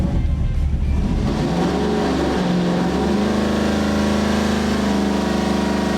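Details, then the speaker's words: Custom EFI 632ci big block Chevy, hydraulic roller cam, Holley Terminator-X, on dyno with timing bumped to 34° and leaned slightly; smooth rising V8 roar at wide-open throttle, no misses or knocks, over 600 lb-ft, 645 lb-ft down low, torque peak 4500 rpm. "this is kind of like our not a Hail Mary Pat pull but kind of a hair Mary Pool just to kind of see if we can squeeze a little bit more out"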